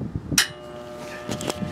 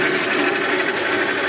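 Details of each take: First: 1960s Craftsman horizontal bandsaw motor switched on: a click, then a steady electrical hum without spinning up, blamed on a bad start capacitor. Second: 1960s American-made Craftsman horizontal bandsaw electric motor after restoration, start capacitor working once ground strap reconnected: short steady even hum, no stalling or buzzing; motor starts and runs normally, though possibly turning the wrong direction.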